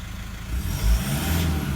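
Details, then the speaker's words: 2012 150 Prado 1KD-FTV diesel, about 150,000 km, new injectors, pilot learn not yet done: low, steady quiet diesel note without knocking or clatter, running smooth and normal. "Should be nice and quiet like that. Hilux is a little bit noisier, they don't have the same amount of insulation."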